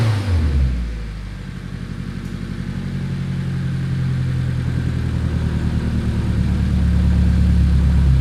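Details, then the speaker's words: Nissan 240SX S13 with SR20DET swap, first start after about 14 years sitting and probably still full of animal debris: a deep, even pulse that slowly climbs in speed with no knocks or misses. Running like a top, very close to stock; normal running. "that is enough for me hell yeah i'm stoked it's sound it's running like a top"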